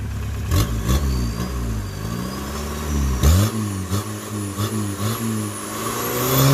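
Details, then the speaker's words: Turbocharged diesel VW Golf Mk2, 205,000 miles on odometer (likely more): under boost revs climb with a rising turbo whistle but speed doesn't keep up, the engine pulling past the clutch; slip was worse before. "When it comes under boost, right there, you can kind of hear it a little bit. It was doing it worse before, but it's already pulling past the clutch."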